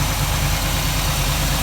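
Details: 1947 Ford street rod V8 idling after the intake manifold and distributor were reinstalled, with a leaking gasket replaced; steady, even low idle with a smooth regular beat and no knocks, ticks or misses. It runs healthy.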